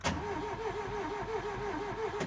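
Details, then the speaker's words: Ford Taunus/Cortina Pinto engine unstarted 40 years, cam cover off, plug in, distributor cap off: even rhythmic cranking about five pulses per second, steady compression beats; earlier slight clatter gone, cranking compression sounds normal. "Sounds fine again now. How very, very weird. Don't get that."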